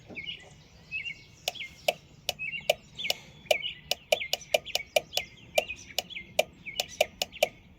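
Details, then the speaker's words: Four-pin fog lamp relay from a new fuse box on a universal relay tester powered by a 12 V battery: crisp, quick relay clicks with short tester chirps; once fully seated, the relay switches cleanly and passes. "And you can hear that relay switching."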